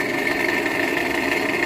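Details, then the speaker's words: 2015 Toyota Camry XV55 2.5, Russian-assembled, at idle: fast light metallic diesel-like clatter from the engine; owner narrows it to the belt tensioner or alternator, unconfirmed. "Двигатель шумит капельный, как будто дизель работает."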